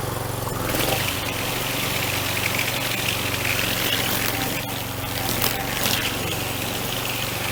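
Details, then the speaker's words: Troy-Bilt two-stroke string trimmer after fuel system and carburetor repair, with new air filter, pre-filter and spark plug, started without priming: an even, buzzy drone holding steady speed with no stumbling or surging, running cleanly. "All right, sounds good."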